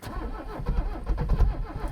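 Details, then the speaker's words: Abandoned Mercedes 300CD diesel cranked after an ether spray: slow uneven low churning with one brief stronger pulse as it almost fires, then fades; briefly catches but doesn't run, owner thinks it needs more ether. "Oh, it tried. It tried right there. I think it'll do."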